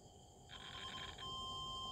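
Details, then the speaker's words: Multimeter continuity test on the two float switch wires running from the rooftop/third floor into a 1- or 3-phase water pump motor control panel; steady high beep holds unbroken, so the wiring is intact. "เนี่ยนะครับผมอันนี้ก็แปลว่าสายใช้ได้ปกตินะครับถ้ามีเสียงนี้นะครับผมสายที่ลงมาจากชั้น3คือใช้ได้ปกติไหมนะครับผม"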